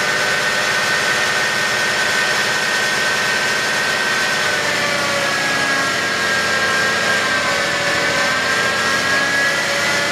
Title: 2011 BMW X5 35D bad idler pulley.